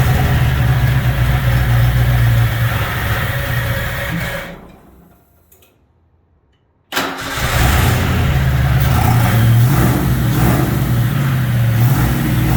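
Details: Ford Fox Body Mustang after replacing a fuel-system O-ring that had a missing section and was leaking, pump primed: runs, is shut off, then cranks and catches quickly into a steady, even idle; starts and runs normally.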